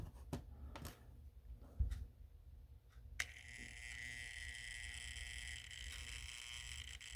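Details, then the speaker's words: Washing-machine water inlet valve solenoid, owner suspecting one coil bad or an AC source issue: a thump, then a steady low buzzy hum, almost motor-like, while energized. The coil sounds suspect. "it almost sounds like a motor all right so what's happening in a solenoid in this solenoid's case is when this solenoid gets energized"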